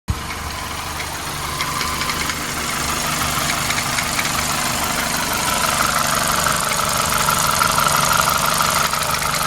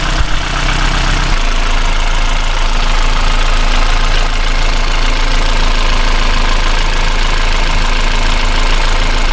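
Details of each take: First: Toyota Celica petrol engine idling with a quick, steady, loud tapping rattle that sounds like a loose timing chain; owner first suspected thin oil, but the cause was a faulty worn drive belt tensioner. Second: Toyota Celica 2ZZ-GE petrol engine idling with the serpentine drive belt removed to test a suspected faulty belt tensioner; steady even hum, the tapping/rattle noise is gone.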